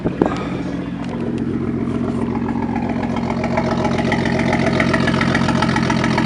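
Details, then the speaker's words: BMW M235i with newly installed coils and spark plugs broke down leaving a car meet: uneven lumpy idle, stumbling beat, shakes whenever throttle touched; hard misfire. "But basically, it's misfiring dumb hard. Every time I touch the throttle, it literally shakes. I have zero clue what's wrong with the car."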